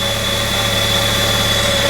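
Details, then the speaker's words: Flood-damaged 1998 Mitsubishi Eclipse Spyder GS 2.4 L, no water in the engine, idling just after its first start, started easily with no smoke; check engine light on; smooth, even hum with no knocks or misses; normal idle. "Oh, 5 for 5, baby! 5 for 5! Oh my goodness. No way. No freaking way. It actually runs great. It started up like that."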